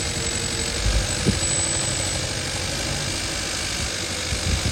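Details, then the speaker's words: 2015 Kia Forte 1.6 GDI with multiple misfire codes, idling with the coil 4 connector unplugged: the tune changes to an uneven, stumbling idle with irregular thumps, unlike unplugging coil 3, showing cylinder 3's ignition coil is bad. "how the engine changed tune when I removed the connector from coil 4, and once I plugged it back in, it's smoothing out."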